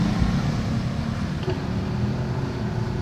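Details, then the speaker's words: Panasonic jumbo washing machine motor after bushing replacement, test run before closing up: low, even hum with no rattle, scrape or squeal; the motor runs smooth and quiet again. "siya guys, smooth na yung kanyang makina, tahimik na uli siya guys."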